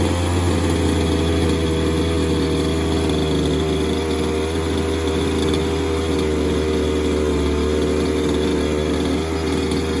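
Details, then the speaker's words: Falcon buggy two-stroke engine, choke on, first start after sitting: buzzes steadily with a slight uneven burble, running on its own with no knocks or rattles; normal running. "see if we get a pop it sounds like a bit of life take off"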